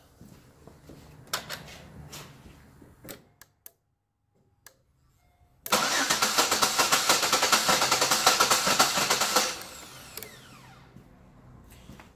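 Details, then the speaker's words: 2009 Pontiac G6 3.5-litre with P1682/P0685, dies randomly in rain; inserting fuse 3 makes relays click, then starter turns steadily about four seconds without catching; crank no start from shorted ignition circuit. "Now we hear all kinds of relays come on. Something in there is not happy. So now, we'll go back and try to start the car"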